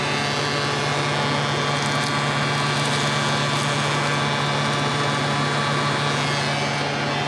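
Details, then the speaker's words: Classic Porsche running: steady, loud whooshing roar over constant hum, no speed change; electric radiator fan running excessively noisily. "Bloody fan is so noisy. I've just got to put the uh new piece that I bought into here and put it all back together. Bloody Nora, that is loud."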